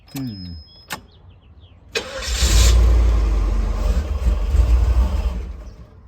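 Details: Guanci SSJ mid-engine V8 prototype, first start after over 25 years in storage with fresh fuel and cleaner: a short crank catches into a rough, uneven run that surges then dies; fuel delivery suspect, fuel pump relay being checked.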